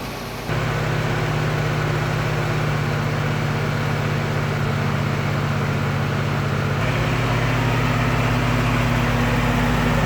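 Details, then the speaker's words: Willys Jeep engine idling after cold start, first run in six weeks, top covers off: fairly quiet, even idle with faint light ticking remaining, partly tappets; much quieter than before. "nice quiet idle now much much quieter you can still hear some of that noise so it was some of it is the tappets but I think a lot of it was the timing chain as well so it's sounding pretty good nice to tick over there"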